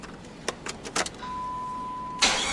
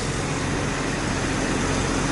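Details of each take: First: 1999 Jeep Grand Cherokee no-start, cranked with a rigged starter button: starter spins the engine evenly for about four seconds with no firing; missing fuse 19 found, still no start, traced to a bad crankshaft position sensor. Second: 1999 Jeep Grand Cherokee 4.0 L six, first run in a month after replacing the crank sensor that had shorted the computer: steady, even low rumble with no misses, knocks or hunting; normal idle.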